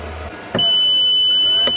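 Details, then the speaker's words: Off-grid battery inverter powering Tesla charging: cell six drops to 2.499 V, BMS low-voltage cutoff trips, sharp click, about one-second high-pitched beep, another click as inverter shuts off then restarts when charger lifts voltage; inverter cycling under BMS low-voltage cutoff. "2499 and it turned off just for a second but now it turned back on why is it turning on again now because the voltage is rising straight away because the charger is kicking in but it has turned off you could hear it there again"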